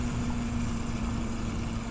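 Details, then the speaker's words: Motorcycle at idle: thin constant spinning whine above engine, from right side, worse in first gear or clutch engaged; owner suspects clutch plate, shifting fine, unconfirmed. "I can kind of hear it, and I think it's coming from the right side. There it is. I don't know if y'all can hear that. I think it's the clutch plate."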